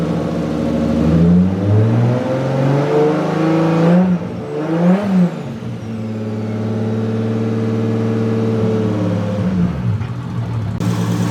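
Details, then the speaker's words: Freshly rebuilt forged Toyota 1.5JZ just after first start, coolant not yet bled: smooth even revs rising and falling cleanly, no knocks or ticks; normal revving. "died on the iphone now but it's running pretty good"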